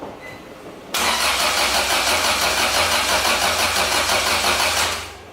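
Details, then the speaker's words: Acura Integra crank-no-start after distributor refitted: starter spins about three even beats a second for four seconds, never fires; no spark for a week despite rechecked wiring, owner concluded the ECU was at fault. "so like kind of getting discouraged and I finally got to the point where I was like man you gotta be the ECU"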